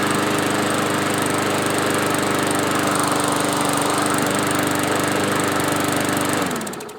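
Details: Yard-Man push mower, previously surging after sitting at least two years, after carb cleaning, new parts and blade sharpening: holds steady, even speed with no hunting or surging, then winds down cleanly when shut off.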